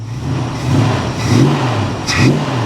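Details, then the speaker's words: Old-school Plymouth Scamp muscle car V8, flood-salvage car, warmed up with full tank before a long drive: deep rumble rising and falling cleanly through throttle blips, no misses or knocks; sounds healthy. "she sounds good i think we're ready guys"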